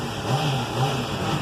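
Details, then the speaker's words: 2007 Honda CBR 600RR at 17,400 km, warm at 91° after an oil change: quiet, even idle with no rattle or tick. The earlier engine noise was diagnosed as the cam chain tensor, and the owner expects the noise may return as the oil ages. "só que nem eu troquei o óleo do motor está quente vocês vão ver que não tem o barulho entendeu"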